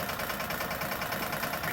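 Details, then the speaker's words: Old air compressor just rewired, first run with power connected: steady, even pumping throb with no sparks, popping or arcing, building toward its 100 psi cutoff. An air leak had kept it from filling and shutting off. "it's running no sparks now let's see if it gets up to 100 psi"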